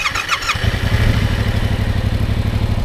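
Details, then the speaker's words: Yamaha R7 motorcycle restarted with clutch pulled in after stalling in first gear: brief starter whirr, engine catches at once and settles into steady, even thumping idle. Normal engine start. "now I can start the bike again when I have the clutch in but if I don't have the clutch in the bike will not start"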